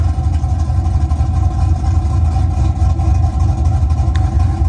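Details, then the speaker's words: LS V8 truck with a mild 260/220 cam of .550 lift, cold, idling around 900 rpm before HP Tuners idle changes: deep steady rumble with a gentle lope, about four soft pulses a second; a smooth, healthy idle. "let me walk around the back one more time this basically is what you would expect from a mild camshaft"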